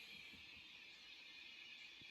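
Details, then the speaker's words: 1996 Peavey 5150 2x12 tube combo amp after repair with replaced resistors, warmed up with tubes glowing: only a faint steady hiss and one soft click, no crackle or rushing. The amp is now normal and quiet. "Alright, guys. Well, it's a little bit of static down there, but for the most part, I would say that's a job well done."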